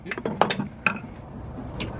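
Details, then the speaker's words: Honda with fresh B20 VTEC turbo conversion, first start attempt using an old starter; a few sharp, uneven clicks and a short ratchety grind on key turn with no cranking; starter issue suspected, not confirmed. "oh boy oh boy you have a starter issue too no i don't think so put the key in on position"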